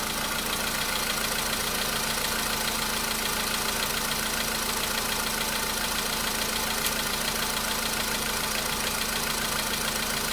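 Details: VW Polo Sedan (CFNA engine) cold start a day after oil change and flush with flushing oil: light, fairly even tapping about two per second over cold idle, knock seemingly absent yesterday, now slight; source not pinned down.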